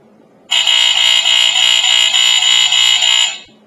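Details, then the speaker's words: Second Statitrol SmokeGard 907A2 AC hardwired smoke alarm with an electromechanical horn, on test: a loud shrill horn pulsing about three times a second, healthier sounding than the first unit but still a 4/6 pattern. Normal alarm horn. "I like the sound of them, really. Not too many alarms with the electromechanical horns had the pulsating sound."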